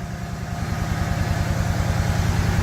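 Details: Refurbished truck engine first running after battery swap, with a coolant leak and smoke from one lower corner: deep, even rumble with steady firing pulses and no knocking, ticking or rattles; idle sounds healthy.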